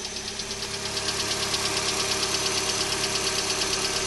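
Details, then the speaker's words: 2012 Hyundai Elantra on a cold morning start: a sharp, regular tick of about three per second over a quiet idle, louder on the passenger side, lasting up to 5–10 minutes after startup; cause unknown. "okay so this is the noise that it makes in the morning and it sometimes it does it as much as 5 or 10 minutes on initial startup brand new 2013 2012 sorry Alanta with a ticking noise that's what I want to get fixed"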